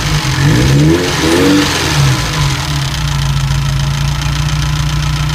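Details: Ferrari 308 QV V8 blipping revs then settling to steady idle with faint light ticking throughout; ticking developed after a major service and persists despite fixing many possible causes.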